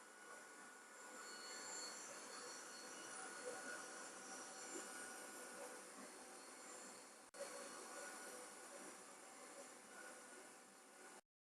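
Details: PICC Starfire plasma arc hob under load, boiling a pint of water in a pan in 2.5 minutes. Steady even hiss with a faint high buzzing tone, no crackle or dropouts: normal running.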